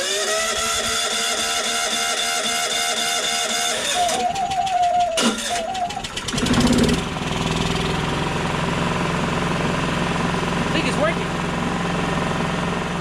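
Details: Yamaha EF4500iSE generator with auto choke no-start problem, after carburetor fix with hot glue and a new air box, cranked to refill the emptied carburetor: catches with a surge and settles into a steady, even hum without hunting; runs properly.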